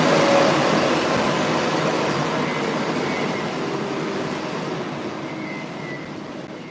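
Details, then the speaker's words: 3D-printed ducted fan from a drone engine system (one of four fans), spun up briefly on a table, not strapped down: smooth airy rush that slowly eases off, with no rattle, knock or scrape from the blades, a normal healthy fan. "I'll try and do a spin up of it really quickly. Because I did it earlier, and I was knocking stuff off the table."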